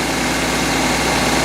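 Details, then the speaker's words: Honda Civic A/C compressor engaged and running at idle while pulling in the first can of R134a refrigerant, after a compressor and condenser change and evacuation; steady idle with even compressor hum, no squeal or knocking, running normally. "so the AC compressor's on it's sucking down the can right now so we're getting the first can in the"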